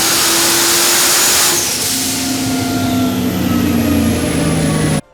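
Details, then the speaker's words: Firebird 6.0 V8 with S484 turbo on pump gas and methanol, TH400, at boost: strong pull but a flat, uneven note with the car bouncing. Misfire traced to burned spark plug wires. "now you can hear on that hit it just sounded flat I'm going to show another clip of it uh you can see where it's it's struggling and the front end is bouncing around and whatnot that's it's basically misfires"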